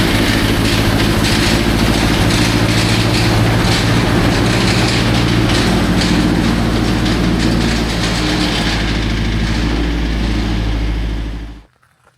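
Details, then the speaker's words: 1966 GMC engine still rattling after a new oil filter, fresh oil and additive: loud rough running with a steady clatter of about three knocks a second. Owner suspects a loose part on the crank, not lifters. Unconfirmed. "It definitely sounds like, now that I'm actually paying attention to it, that's nothing to do with lifters. I mean, it sort of sounds like it, but it has that sound of a loose bit on the crank just flying around in there."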